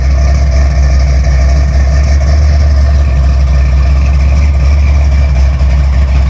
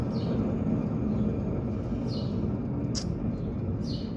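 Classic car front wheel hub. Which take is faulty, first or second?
second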